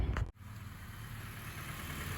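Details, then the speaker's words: 2004 Honda CR-V after misfire repair, faulty spark plug found and all plugs replaced and gapped: steady, even low idle with no stumble or skip, running cleanly on all cylinders. "Okay. So, it's running good."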